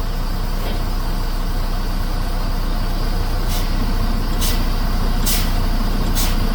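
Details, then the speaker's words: Class 1 truck pre-trip, diesel idling, brakes fanned down to about 100 psi on the primary tank: sharp air hisses, then the engine note firms as the compressor cuts in; governor and air compressor working normally. "I heard a sound change that tells me that my governor and air compressor are working."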